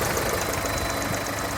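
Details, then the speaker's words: Mk4 VW Golf after its misfire and heat-shield rattle were fixed, idling cold. Smooth idle with quick light ticking of about eight per second from the charcoal filter purge valve cycling because the engine is cold; it runs good. "and that is the sound of the engine it's got the charcoal filter going at the minute because it's cold that's what it's happening she runs good"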